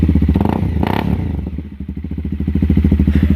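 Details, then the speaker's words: 2016 Honda CBR300R, about 3,000 miles, first startup after troubleshooting, with good solid spark confirmed; even, steady thumping idle with a small throttle blip, no stumbling or stalling; normal idle. "oh yeah oh she looks good sounds good"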